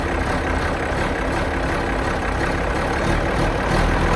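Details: 4640 tractor diesel with a newly installed exhaust elbow and muffler gives a deep, steady rumble with an even firing beat, no knocks or rattles; normal diesel idle.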